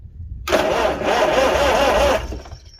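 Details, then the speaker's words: 1955 Farmall 300 row crop after sitting 14 years, spark just restored: steady, even churning crank of just under two seconds; engine turns over with spark but doesn't fire, fuel still to be sorted. "let's try it again let's see what we got there we go we got Spark"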